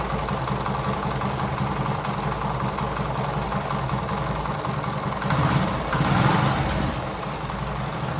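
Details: TVS XL100 (Super XL 100cc) moped single-cylinder after tappet adjustment: even idle with a short throttle blip returning cleanly, no valve-train tapping; engine set perfectly, smooth sound, no problem.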